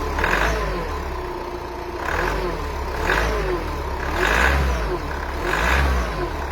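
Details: 2.0 dCi diesel at cold start: revs swell and fall about every second and a half over a rough low drone with a clattery edge; abnormal cold-start noise, cause unclear.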